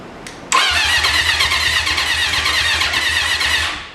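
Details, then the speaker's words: 1980 Honda CB750 sat 35 years, on jump box before a temporary gas tank: starter cranks, engine catches and runs raggedly about three seconds then fades and stalls; fires briefly then dies. "let's see what happens well that's a disappointment there almost oh there you go did you hear it"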